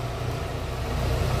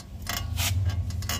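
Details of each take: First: VW Fox after repair of steering-turn creak caused by ball joint with torn boot: only steady low idle hum while the wheel is turned, no creak or clunk; noise eliminated, though steering box has play and a leak. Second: VW Fox running with power steering on; irregular clicks and creaks as steering turns, first thought a link or metal part, traced to a worn tie rod end.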